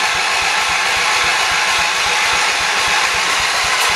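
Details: 1978 Shifting Gears 208 tractor, after head gasket replacement, new battery, gas in tank, choked: starter cranks steadily about seven pulses a second under hiss but never fires. Seems to have compression; owner suspects no fuel or a plugged carburetor jet.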